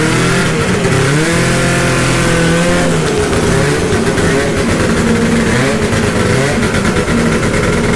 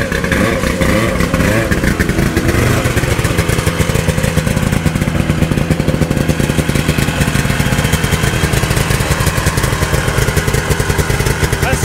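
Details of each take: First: 1972 Ski-Doo Nordic snowmobile two-stroke, cold start after rebuild, carburetor preliminarily adjusted: raspy buzz rising and falling cleanly with throttle, no stumbling or cutting out, fuelling properly. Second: 1972 Ski-Doo Nordic 440 two-stroke snowmobile after full engine rebuild, new plugs and carb adjustments, running ragged and lumpy with wavering revs; starving for fuel.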